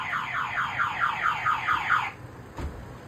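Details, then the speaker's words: Scion tC with aftermarket alarm that cannot be turned off (relay under dashboard unplugged, horn removed): car alarm siren whooping fast, about four rising chirps a second, then cutting off abruptly. "So, for some reason, this thing had an alarm system with it and we cannot get it to turn off."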